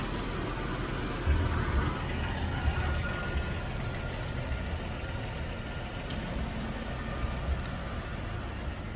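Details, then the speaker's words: 1999 Jeep Wrangler TJ 4.0L after exhaust manifold and motor mount replacement: even, low rumble at idle with no ticking or puffing from exhaust; former exhaust-leak clatter gone, no check engine lights, normal idle. "Oh, that is so much quieter. No longer clattering and sounding horrible. No check engine lights or anything goofy."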